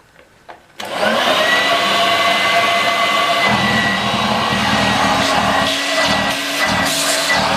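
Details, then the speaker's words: 1986 Vorwerk VK 117-1H upright vacuum cleaner, cleaned and reassembled: steady high whine with an uneven rough rattle underneath; strange noises from the motor, whose bearing is somewhat dry. "yes there are some who strange noises coming from yep flat yeah it's like this going that's why it makes that and that bearing from the mother is somewhat dry"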